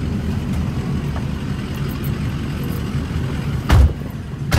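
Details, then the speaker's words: 2004 Ford F-250 Lariat, lifted with big aftermarket wheels and tires, on a test drive: steady road rumble, then two short scuffing thumps. The tire rubs the plastic inner fender liner, apparently on one side only; the fix is trimming the liner. "So what's going on here is these big wheels they're rubbing right here on this plastic. So we need to trim this plastic out a little bit, and it seems like it's only doing it on this side, because this other side seems to be taken care of already. So that's what that noise is."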